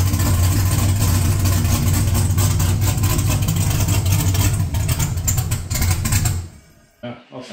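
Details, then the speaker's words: LQ4 V8 swapped into a 1985 Pontiac Trans Am, first startup after build: deep idle chops and stumbles unevenly, then dies after about six seconds; rough idle and stalling, owner suspects startup tune needs more base airflow. "so we got it fired it does run I think uh there's a lot more tweaking that I have to do uh as a for a startup file I think it need some more base airflow"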